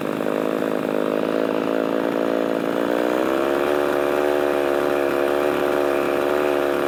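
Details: Poulan 3300 chainsaw, freshly revived: a strong, steady two-stroke buzz that climbs a little and holds clean under load with no sputter or surge. Runs healthily.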